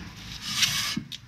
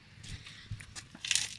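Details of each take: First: Honda Accord rear left wheel that ran hot and dragged, turned by hand with the brake being dismantled: light dry scraping, a brief soft rub; just normal drum handbrake contact, wheel turns freely. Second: Honda Accord wheel turned slowly by hand, wheel off: rough, uneven scraping of pads dragging on the brake disc because a seized caliper or piston, possibly rusted from moisture past a torn boot, won't release; wheel gets hot.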